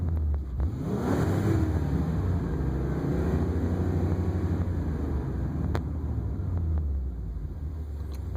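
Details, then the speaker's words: 2002 Ford Super Duty 5.4L that had been losing throttle and dying, with fuel pressure dropping to about 10 psi when floored, after a restart with 5 gallons added: clean, smooth acceleration with no stumble while fuel pressure holds 30 psi. "No issues, just like normal. Holding 30 psi."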